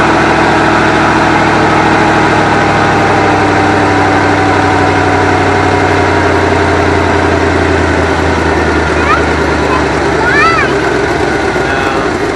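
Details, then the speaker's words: Long-sitting 1974 Avanti V8 revived after confirming spark and adding fuel: it catches and runs unevenly for a few seconds with a loose, stumbling beat. It seems to fire on all eight cylinders but won't hold an idle yet. "all right as you've seen I got the car to start up and run we're gonna see if we can get to run a little longer it didn't like that well we know it runs it seems to be running around all eight cylinders which is good"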